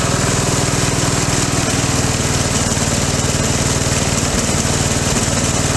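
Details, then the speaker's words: Craftsman 13hp mower, Briggs and Stratton engine, 42in cut, run a few seconds after charging the battery; loud rough chugging with an uneven pulse and rattling shake, parts coming loose; owner unsure whether a rod is gone; excessive vibration and noise. "I don't know if you noticed it when it first started how much it shook and how loud it was everything's coming loose on this motor"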